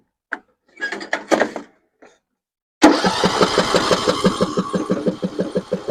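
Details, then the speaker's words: 6-year-old John Deere 100 series lawn tractor, little gas in the tank, choke on: starter churns about three pulses a second, never catches; no start. "all right all right turns over I don't even know if we got gas yeah you have no gas iner so take care of that"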